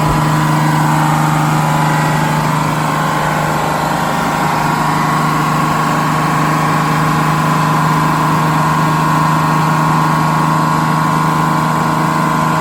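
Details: GM 4104 bus diesel, warm after a test drive, following a transmission swap, new clutch, rear main seal and resealed valve cover gasket. Smooth, steady idle with an even hum, no knocks or ticks. Healthy.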